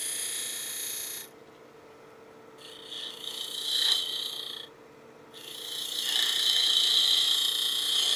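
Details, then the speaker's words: Wood lathe, spindle work with the grain between centers, cutting a bead-and-cove practice stick: light, quick ticking at about four per second under a hissing cut, from a knot in the workpiece striking the tool. "You hear that knot again, a little tick, tick, tick."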